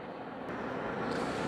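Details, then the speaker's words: BaseAire AirWerx 55 dehumidifier in continuous (CO) mode, with the humidistat set below 36%, running continuously to pull moisture. A quiet, even airy whoosh with no knocks, rattles or squeals. Normal smooth running. "now this is going to run continuously pulling the moisture out of the"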